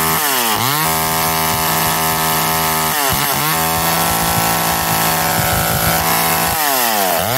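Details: McCulloch Eager Beaver 2.0 chainsaw after rebuild, spark arrestor back on, probably warm, run to burn off old gas: revs up and settles back repeatedly with a clean, even buzz, no stumble or miss; running normally.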